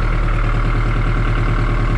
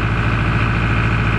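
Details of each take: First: John Deere 5410 diesel tractor after clearing fuel suspected of algae contamination that caused power loss; runs steady, snaps up on throttle and settles to an even smooth idle holding speed, slight surge from air in line: normal idle. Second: John Deere 5410 diesel tractor idling on hand throttle, no load, after losing power spreading lime: low uneven beat wavering instead of holding; fuel starvation from algae-contaminated fuel blocking supply.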